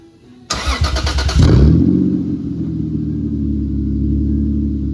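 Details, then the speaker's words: R154 manual transmission swap and rear main seal change, neutral safety switch pins (2002-2005 harness) spliced so it runs; about a second of even cranking, clean catch, flare, smooth steady idle; normal start and idle. "Now you see it runs, and I got everything all good."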